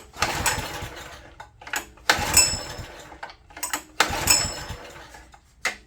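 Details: Old open-frame Honda EG1400Z generator bought non-running, possibly water in fuel, pull-started with choke toggled: repeated pulls catch for a second with ragged pops then die; hard start later blamed on the spark plug.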